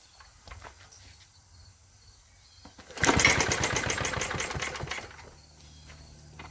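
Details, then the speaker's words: 1952 Clinton VS-700 push-mower engine from the scrap yard, after cleaning the points and confirming spark with a fouled plug: a ragged two-second burst of uneven firing that dies away; it sputters briefly on primed fuel. "and she's starting to spitter it's better to life"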